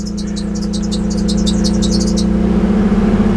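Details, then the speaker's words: 1984 Datsun 300ZX Turbo (one blown turbo, oily exhaust leak) started on a substitute battery after many attempts: settles into a steady, even idle with smooth low hum, no knocks or misses; oil pressure high. "hopefully she starts oh man she runs good look at that"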